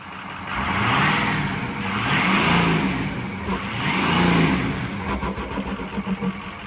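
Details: 2007 Ford F350 6.0 Powerstroke diesel after exhaust manifold replacement: deep drone rising and falling smoothly through the gears, no hiss, chuff or squeal; exhaust leak fixed.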